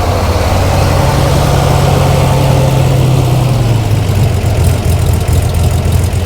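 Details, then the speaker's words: Flood-damaged Corvair flat-six on custom fuel injection: loud, deep, even idle burble at about 1,000 rpm, steady with slight dip, running slightly lean with fluctuating air-fuel ratio; settles into a nice smooth idle. "and it settles right down down into a nice idle it's idling about 1,000 RPM air fuel ratio hasn't come online yet"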